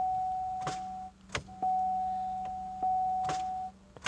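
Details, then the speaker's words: Pontiac Grand Am that won't crank, battery about 11.9 V, dome light stays bright: sharp single starter clicks every second or so over a warning chime, engine never turns over. "so you could hear that clicking i'm attempting to start it"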